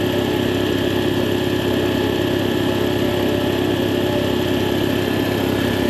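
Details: Air compressor on its test run after the leaking check valve was replaced and the coupler and unloader retightened: a steady, even pumping hum with no hiss or irregular knock over six seconds, so it is running normally.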